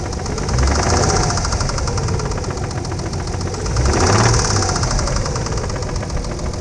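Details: 1992 Nissan 300ZX Z32 slicktop at idle, heard under the hood, with oil pressure 25–30 psi and coolant fine: a dull repeating knock about three per second over a good idle. Owner suspects rod knock, not confirmed.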